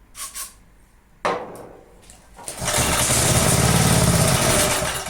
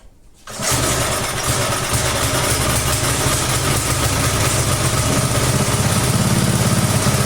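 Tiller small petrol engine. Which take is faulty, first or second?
second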